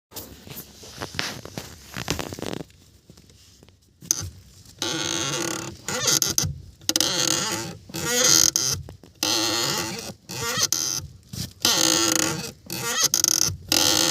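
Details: VW clutch pedal: creaky, rubbery squeak with each press and release, roughly once a second.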